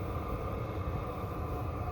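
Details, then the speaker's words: Chinese 12V 5kW diesel parking heater with 3-button LCD, powered by a generator with the car off, getting quieter as it settles: smooth, steady low roar with an even plane-like whoosh, no knocks or surges; normal running, very hot outlet air. "you can tell it's getting quieter sounds a bit like a plane"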